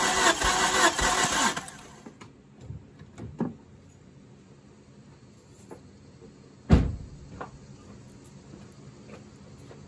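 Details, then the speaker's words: Healthy starter cranking during a compression test on a turbocharged Hyundai after a track incident; readings of about 118–120 on all cylinders show the motor is not hurt, with even, uniform cranking rhythm followed by handling clunks. "so we can take that out of the pitcher the motor is not hurt this motor is good"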